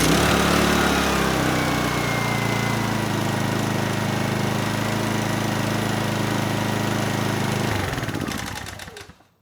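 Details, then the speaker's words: Honeywell HW2000i 2000 W inverter generator with new NGK plug gapped 0.030 in replacing the Torch plug: starts immediately, settles into a steady even hum for several seconds, then shuts down cleanly; problem fixed. "okay good it starts right up so I'd say we're out of the woods on this one"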